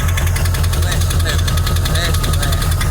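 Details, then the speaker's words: 2002 Chevy Silverado 2500 HD 6.0 V8 idling and revved with deep, heavy steady knocking, heard near the fender well; rod knock after oil pump failed and a faulty gauge cluster hid the lost oil pressure. "Hey, there's something banging. Not really sure what it could be, but if I'm not mistaken, I daggone messed something up."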